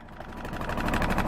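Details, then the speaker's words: 1978 Yanmar YSB8 marine diesel after 10+ years in a flooded sailboat, after testing forward and reverse: steady thump about thirteen beats a second, picking up slightly, even; engine runs fine. "We got a perfectly working engine there."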